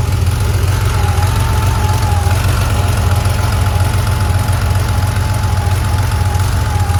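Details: 1982 Porsche 911 SC flat-six warm startup: low, rough idle with an unevenly stumbling beat, a misfire.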